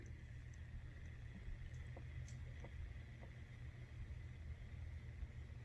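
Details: Newly built tumbler station, the motors freshly wired with switches and powered through an extension cord on first switch-on. Low steady hum with no knocking or scraping: tumbler motors running normally.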